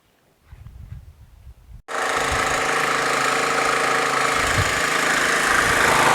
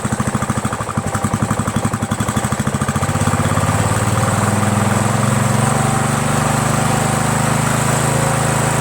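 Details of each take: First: Troy-Bilt lawn tractor with Briggs Intek engine after a carburetor swap: quiet fumbling, then it catches and holds a steady, slightly lumpy idle; running too rich with black smoke, fuel mixture screw needs turning in to lean it. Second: Troy-Bilt lawn tractor, 17.5 hp Briggs overhead-valve single-cylinder, after carburetor swap: thump settles from uneven pulsing into a steady, even drone within seconds.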